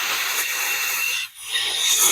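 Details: 1985 Honda Accord (2nd generation) cylinder one leak-down: compression tester hose threaded into plug hole and shop air applied; instead of sealing quiet, a loud steady air hiss is heard, air leaking past bent valves. Engine done, to be parted out.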